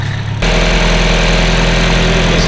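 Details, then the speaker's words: Brian's K-series project car on E85 at the dyno, started on the first crank: fires instantly and drops straight into a smooth, even idle with steady pitch and no stumbles or ticks. It sounds very healthy and produces no smoke. "do K do you hear how smooth this is the healthiest sounding cake I don't want to Hype it up too much but this is like the healthiest out of K I've ever heard in my life and it doesn't smoke which is mind bogging"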